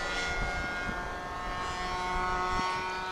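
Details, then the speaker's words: RC airplane flying again after a crash landing two days earlier: steady motor and prop drone with a rough, uneven undertone, sounding weird; a small piece of plastic is missing, so it is suspected unbalanced. "a little piece of plastic is missing. It might be unbalanced. Maybe. Yeah, that sounds weird."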